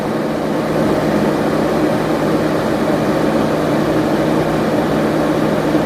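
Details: 15-inch Silverado PWM radiator fan in a BurnDown/Warr Performance shroud at 80% duty cycle: steady, even high-speed rush of air with no ticking, rubbing or wobble; normal operation, about 750–900 CFM at the outer edges.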